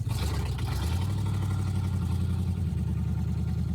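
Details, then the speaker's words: Inside the cabin of a 1971 Chrysler eight-door airport car driving with no floor, stiff steering: loud steady low engine drone and raw exhaust roar at constant pace with no muffling; exhaust fumes enter the cabin. "Oh, the steering is very stiff. It's really loud with no floor."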